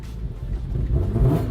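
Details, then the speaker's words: Mark 1 Mazda MX-5 with a 3.0-litre Jaguar S-Type V6 swap, at start-up: deep throaty note swelling as revs climb, smooth and even with no knocks, music underneath; healthy V6. "my god that sounds good"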